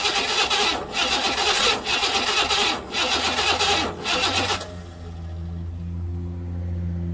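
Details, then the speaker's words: 1968 Buick Riviera parts car V8, after setting timing and filling the carburetor fuel bowl: about four and a half seconds of uneven grinding crank, then it catches and settles into a low, steady, smooth rumble. "It's trying to start, but something's not happening."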